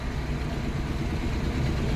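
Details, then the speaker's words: Maruti Eeco idling after coil work fixed missing, backfire and engine noise: even, smooth idle with steady low rumble and no valve-cover ticking or chatter; completely silent, healthy. "चलो अब गाड़ी को करते हैं बंद एक number आवाज बन गई यानी बिल्कुल साइलेंट"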